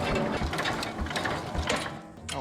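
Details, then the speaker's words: 1968 Jacobsen Super Chief 1000 single-cylinder tractor, first crank on battery; rhythmic chugging about twice a second with gear chatter as the starter turns the engine over strongly and evenly; normal cranking. "So, we've got battery. Let's see if it cranks."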